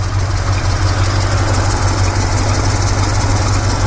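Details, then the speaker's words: 1965 Chevrolet C20 V8 at idle. A faint, slightly uneven tick about three times a second; the owner suspects a small exhaust leak but is unsure. Ticking at idle. "I can hear one little kind of an exhaust leak but I don't know if it's really an exhaust leak"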